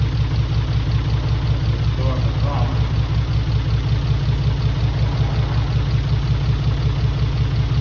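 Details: Mitsubishi 3000GT VR4 with a replacement engine at first start, on old injectors that had been sitting: low lumpy idle with a steady thump-thump stumble; probably one or two cylinders misfiring.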